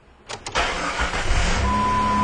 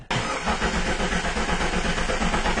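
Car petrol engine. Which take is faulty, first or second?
second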